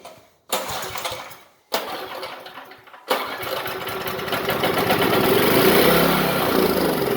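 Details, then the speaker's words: Power Pak 2500 W generator with 5 hp Briggs & Stratton engine, sat about 10 years; spark confirmed, gas poured into cylinder. Two short pull bursts die, third catches and runs rough briefly on primed fuel. Fires briefly on fuel prime. "So I just dumped a tiny bit of gas down in her cylinder. I just want to see if I can get a little sputter or something out of her."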